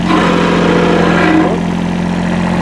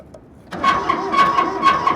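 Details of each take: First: Kubota B7100 diesel tractor with loader, sat about 10 years in a collapsed barn, after a fan belt change: steady, even idle with a smooth low drone and no knocks or belt squeal; runs well and all gears work. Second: Kubota B7100 diesel tractor with loader, sat about 10 years in collapsed barn, first start after glow plug preheat: uneven chugging with rough rasping scrape each stroke over thin whine, from exhaust; owner unsure, suspects clogged exhaust.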